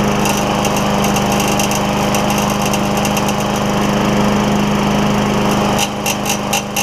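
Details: Craftsman mower with Tecumseh Vector engine after carburetor replacement and backing plate swap, primed, run without air filter: steady, even buzz at constant speed with no surging or sputtering, running normally.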